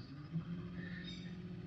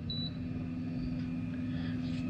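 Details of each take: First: Minn Kota electric trolling motor during a service, run at setting six or seven, fairly fast: steady low hum near 180 Hz with no knocks, slowing slightly as a part is rotated while tuning for the sweet spot. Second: Minn Kota electric trolling motor after 10-minute service and tune-up, at moderate speed sweet spot: smooth, even mid-pitched hum with no knocks or rattles; running cleanly.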